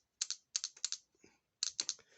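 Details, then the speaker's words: Clicks from a 12-volt VW 09G transmission solenoid bench-tested with battery leads, out of the car, crisp sharp bursts each time power touches the terminals, silent between; switching cleanly, though its connector plug tab is broken. "so you can see it moving there so this is working fine but it has a broken um plug"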